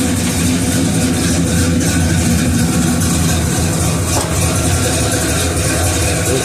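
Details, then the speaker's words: 1969 Oldsmobile 442 V8, warm about half an hour after timing work, with new plugs and compression of 150 psi (145 on number two): a deep, even burble at idle with no misses or knocks, slightly rich; normal warm idle. "It sounds good. Like I said, it's a little rich. That's why I gotta play."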